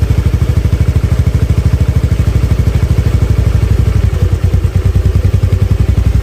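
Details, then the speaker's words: Honda Beat FI scooter with an unstable, hunting idle, after spark plug replacement and a manual ECM reset: even, steady idle putter with no rise and fall, though it still hesitates on a sudden throttle snap; normal idle. "Oke teman-teman bisa dengar sendiri ya jadi reset modul satunya ini berhasil ya jadi gasnya ini udah stabil"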